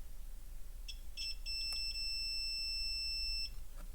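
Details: Renault Scenic II electric parking brake module PCB with burnt traces, fuse tested on bench with multimeter: short chirp then steady high continuity beep about two seconds; fuse good, 0.4 ohms.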